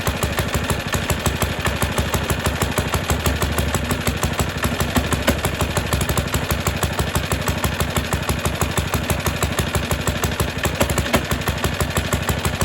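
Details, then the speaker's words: Suffolk Super Punch 17-inch lawnmower, next day after cooling, cold on choke: chugs at a steady fast beat, slightly uneven, then dies; spark okay, owner expects carburetor cleaning is needed. "so that's what happened yesterday try it one more time then I'm gonna quit again and I think it's going to be a matter of cleaning it up"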